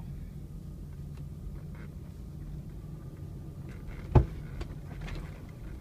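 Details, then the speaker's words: 2000 Toyota Land Cruiser 100 series, creeping up driveway hill at full steering lock: quiet low rumble then one sharp pop from right front wheel; persists four years despite new bearings repack, tie rods, CV axle, control arms, ball joints; cause unknown. "you hear that that's what I've been dealing with it also occurs whenever I am backing up in parking spaces and there's a bump or a pothole that I have to go through"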